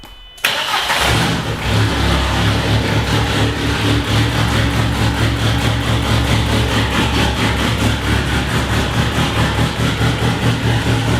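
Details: Mercedes M111 turbo engine, first start after correcting swapped fuel feed and return lines on the fuel rail: quick crank, then catches and settles into a steady, even idle with a fast regular pulse; starts and runs properly.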